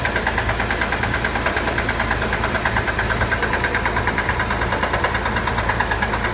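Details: Chevrolet Corvair engine at idle: sharp, steady knock about three per second over an even idle, loud and constant; owner asks whether it is rod knock, source unconfirmed.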